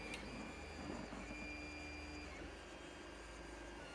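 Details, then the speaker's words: Modified Creality CR-10S printing ABS without an enclosure, bed at 110 and nozzle at 240, power supply fan off: a soft low hum with faint shifting stepper tones and no extruder clicking. "and I have no clicking like I explained earlier and you can hear house quiet"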